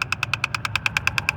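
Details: 2010 Mazda 3, clicking from behind the glove box with the engine off: rapid, even clicking about nine times a second from a failing blend air door actuator (replaced with Dorman 604-811).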